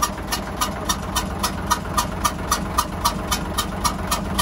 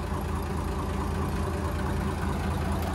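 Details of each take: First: Hyundai 6D16 diesel at idle with strange hissing noise, injector lines loosened one by one to find the cylinder: sharp regular puffs about 220 a minute over steady idle, compression gas blowing past a leaking injector. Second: Hyundai 6D16 diesel, after head retorque (180°), idling low and steady with an even beat and no knocking. Normal idle.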